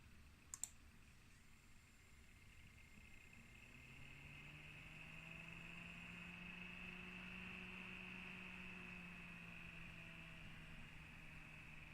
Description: Asus Z390-A Prime VRM makes a rattling noise, mainly under load but also during idle.